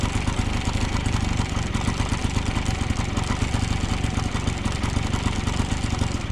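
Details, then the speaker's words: 1980 Yamaha QT50 two-stroke moped, first start in eight years, on premix fuel: holds a fast, even buzz at what should be idle, still revving high with the air mixture screw all the way in and the idle screw backed out. A sticking throttle cable holds the revs up; the cable was replaced. "I started to adjust the carburetor and at one point I had the air mixture all the way in the the idle screw was out pretty much the entire way so it was still running high on idle high RPMs"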